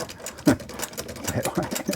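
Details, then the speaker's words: Vulcan Senior toy child's sewing machine (made in England), hand crank turned in reverse, which it can run both directions; light uneven ticking and clatter, turning freely with no binding or grinding, normal. "that is the very first time I've ever seen a sewing machine that you can run both directions"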